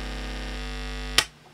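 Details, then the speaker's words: Old Omnitron turntable connected without its ground wire, volume up: steady low 50 Hz mains buzz with an even stack of overtones, cut by a sharp click. Ground-loop hum, fixed by grounding to the amplifier or mixer ground screw. "i put a volume up you should hear it 50 hertz noise and it's impossible to use turntable with this distance"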